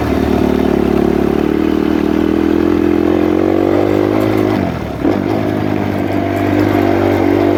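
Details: Suzuki RMZ 250 previously wouldn't start; after re-timing, with one cam apparently from a different bike blamed for the marks not lining up, a crisp single-cylinder note climbs and eases with the throttle, smooth and even, no misses or clatter; normal running.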